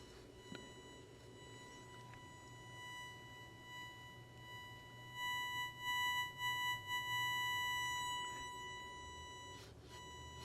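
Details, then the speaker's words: Freshly assembled JAT801 audio amplifier board at first power-up: thin steady buzz that swells and wavers as a headlamp shines on the LED in the differential input stage, light changing its current. "when I put it over this LED, it's causing it to change the current, I guess, enough in the differential input stage to cause that buzz."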